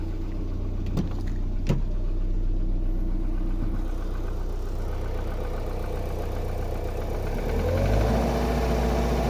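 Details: Opel Vectra B 2001, 1.8 engine, at idle: low steady hum with a dull, fairly regular tap near four per second, a knock from inside the engine, cause undetermined.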